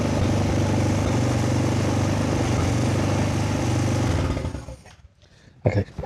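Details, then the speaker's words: Kazuma Falcon 150cc quad, about 10 years old, first start, fuel still leaking. A small single holds a fast, steady idle for about four seconds, then drops away. Idle is set very high on the screwdriver and the mixture needs adjusting. "she's running. Still idling very high on my screwdriver."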